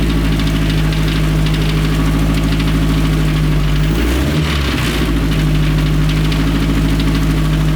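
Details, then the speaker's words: 1932 Ford Model A dirt track speedster race car, restored Ford Model A overhead valve conversion four-cylinder through a big 4-inch exhaust pipe: deep, steady beat about 200 pulses a minute, even, no knocks; normal running. "This thing just sounds absolutely incredible. Big old 4-inch exhaust pipe over there belting out the notes."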